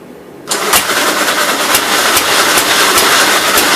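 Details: 1957 SR Gravely single-cylinder after top-end rebuild with 15-over rings: catches and settles into an even beat, about three firings a second, loud exhaust pops. Idles decently, no longer smoking as before rebuild; normal idle.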